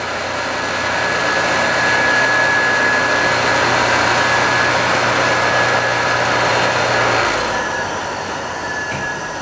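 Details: Scrap-saved single-phase air compressor motor, unloaded at its full 240 V design voltage, drawing about 2.2 A. Smooth hum with a steady high whine, then winding down.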